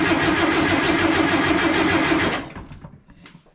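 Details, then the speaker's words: Long-stored warehouse-find air-cooled VW Beetle/Bus engine, gearbox in neutral, crank test before checking spark: even starter churn about three beats a second for two seconds, free cranking with no knocking; sounds pretty good. "Oh, she's cranking. That actually sounds pretty good."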